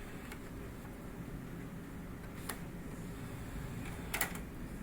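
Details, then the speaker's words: Xbox One after the "tap the drive" fix: a low, steady drive hum with a few light clicks as the disc loads, and no grinding. The fix is considered likely temporary. "no grinding guys uh simple fix uh caveman style"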